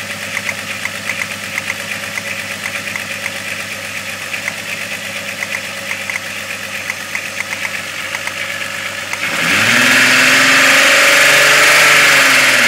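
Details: 12V VR6 at idle: sharp, regular knock about four times a second, then the engine revs up; owner suspects rod knock, cause not confirmed.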